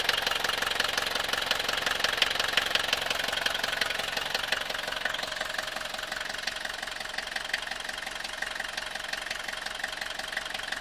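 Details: 1982 Mercedes W123 200D, OM615 diesel at idle: steady sharp tapping about three per second over the idle, even throughout; engine knock of unknown cause.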